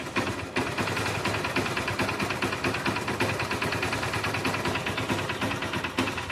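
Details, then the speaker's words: Motorbike with a starting problem and oil leak, after home fix; after a brief stumble it catches and settles into a fast, busy, uneven idle that keeps running on its own; normal running. "Start ஆயிடுச்சு."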